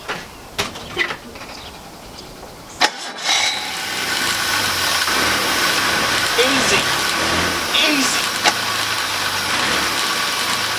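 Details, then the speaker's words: 1968 Jaguar 420G rebuilt engine after restoration, head refitted and distributor points insulator fault fixed, distributor not yet tuned: a few clicks, short crank catches at once, settles into quiet, smooth, even idle; healthy clean start. "you can hear how well this thing actually performs it starts really really well"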